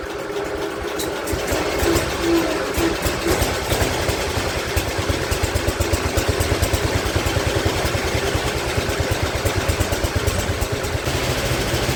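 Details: Speedex model 1630 garden tractor single-cylinder engine with new carburetor, reused old head gasket, driving under its own power for the first time in years: uneven, lumpy thumping about two beats a second over road noise; running rough, cause unconfirmed.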